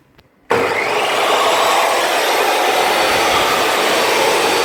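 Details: DeWalt table saw that wouldn't start, after brushes checked OK and a burnt switch area fixed with new spades and a new lead: motor spins up instantly to a steady, even high-pitched whir with no stutter; runs normally.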